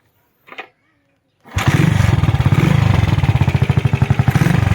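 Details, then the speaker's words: 1991 Honda JX110 classic motorcycle: starts quickly and settles into a quiet, soft, even putter of about four beats a second, a smooth, healthy normal idle. "เครื่องเงียบๆนิ่มๆรายงานยาวๆกันเลยนะครับ"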